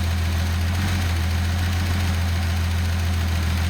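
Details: Datsun 280ZX turbo with EFI, fan unplugged: steady, even low idle with no stumble, smooth constant hum; normal idle.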